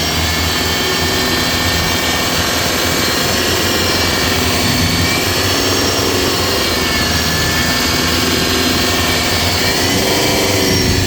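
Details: Mitsubishi Montero Gen 3 4N15, belt and tensioner bearing newly replaced: loud running with a steady hum and faint ticking, grown from an earlier ticking; turbo was suspected.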